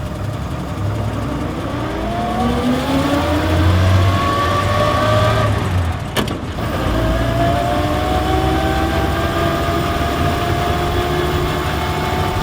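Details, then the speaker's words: 1953 Ford F5 pickup rebuilt into a Speedster, air-compressor fuel tank; engine revs up and settles smoothly, pitch rising and falling cleanly with no knocks or misses; runs like a sewing machine, healthy. "that's all it takes to build a Speedster and you can hear it running and it is runs like a sewing machine it is wonderful"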